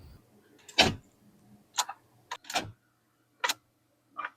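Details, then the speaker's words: C4 Corvette that won't start: sharp single clicks about one a second and the engine never cranks. No-start with the cause unknown; the battery is the first thing to check. "Literally just came outside to uh film the video and the vet won't start. Um, let me show you."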